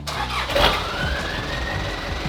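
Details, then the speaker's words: Just-finished Toyota truck build started before first off-road run: cranks and fires at once, settles to even run with a short whistle rising at start; it runs, healthy start. "the truck's done I might show you in a second you can listen to it first start it up you hear it it runs"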